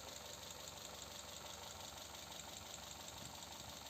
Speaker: Don't be scared if it sounds a little when starting from cold. It's very normal that everything is drained of oil until the pressure reaches a little bit in all places.